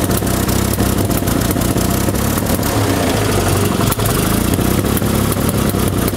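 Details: 1974 Fiat 500 engine, before repair: loud uneven beat with stumbles and popping, firing never settling into a steady rhythm; rough running (ruckelt, knallt) from misadjusted ignition points and wrong spark plugs, with a loose distributor cap.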